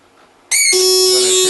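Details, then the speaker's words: Bose L1 Model II portable PA fed a signal-generator tone into the analog input; after about a minute it emits a steady piercing high-pitched whistle even with signal turned fully down, power light flashing red in time; oscillating, owner suspects power supply or amplifier failure. "the signal down all the way it just does that high pitch whistle the power/ light is flashing red in time with this sound so I'm going to guess that something in the power supply or the amplifier is breaking down"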